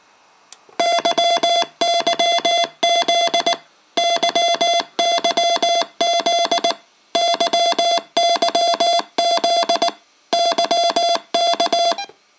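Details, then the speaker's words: Cheap Rockmite51 clone 40 m CW transceiver into a dummy load, keyer memory message playing: clean steady tone near 700 Hz in crisp, evenly spaced dot-dash groups; normal keyer playback. "So, like I said, the switch right here will activate the the whatever is in the memory, which is the rush uh tune YZ."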